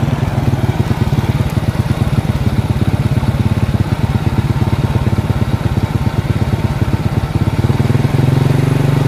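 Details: Honda Karisma/Supra X 125 carbureted single idling after a cam chain replacement with an aftermarket Federal chain: an even, steady putter at about three beats a second with no chain rattle. Normal idle.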